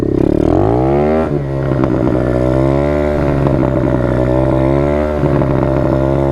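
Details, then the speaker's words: Dirt bike in first gear, revved too high: engine screams high and strained, pitch climbing and holding near the top with a harsh buzz, heavy vibration; over-revving, needs shifting up. "just sounds you can hear it just sounds horrible it's your revenue way too high also it's vibrating the life out of me"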